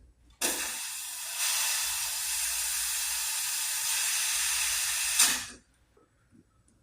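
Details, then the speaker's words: Wheel of a vintage Hot Wheels R1NX go-kart that sat about 10 years, being inflated to about 30. A sharp, steady hiss for about five seconds, then silence: air escaping past a tire bead that isn't sealing. "Wow, I think that's too much. A lot. This thing's not sealing good on there."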